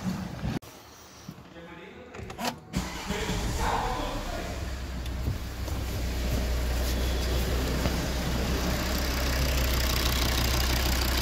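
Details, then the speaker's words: Volvo S60 that had a no-start with an immobilizer fault and lost module communication, after the damaged green cable was spliced and soldered. A brief crank, a clean catch and a smooth, steady idle with no fault codes. "Engine working, no fault codes, everything nice."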